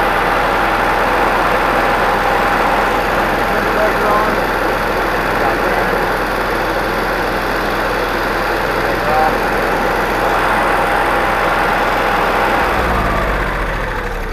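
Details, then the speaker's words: New self-contained generator for a GMC motorhome, with its built-in rubber-isolated exhaust and muffler, run with the casing off and no extra exhaust: a steady, even hum with a faint constant tone and no knocks or misses. Normal quiet idle. "It's a very quiet generator. I'm gonna run it here in a second. You'll hear what it sounds like without any extra exhaust or anything installed."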